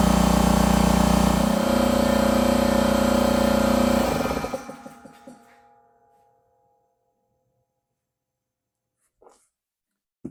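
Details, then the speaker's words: Husky 33-gallon C331H air compressor after replacing the pressure switch: loud steady motor drone for about four seconds, then a clean shut-off and wind-down once it reaches the proper PSI. "there you saw it. This thing cut off as it should when it reached the proper PSI."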